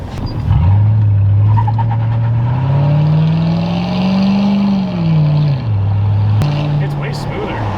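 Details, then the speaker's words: Lincoln rear locking differential after repair, driving: engine note rises and falls with throttle, a short chirp as the locker engages on throttle and unlocks off throttle; normal, no clatter. "It unlocks and then it locks when you get on throttle. That's exactly what I want."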